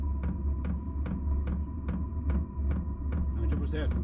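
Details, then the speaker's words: Diesel heater installed in an Iveco Daily 4 camper conversion: at heater startup the dosing pump gives sharp, even ticks about every 0.4 seconds over a low hum, pulsing normally. "Face ceva? Nu se vede nimic. Acum a început să dea de se aude pompa deja."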